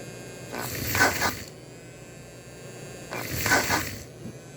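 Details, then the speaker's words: Model locomotive idling normally after board wiring work: a faint steady hum with soft hissing puffs about 2.5 seconds apart. Smoke is still not working smoothly. "nothing but you can hear it idle it idles okay that's the idea"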